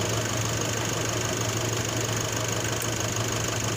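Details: Nissan NP300 pickup idling after start-up, heard via a stethoscope on the alternator: steady low hum with a faint quick tick about three a second; intermittent ticking at idle, alternator bearing suspected.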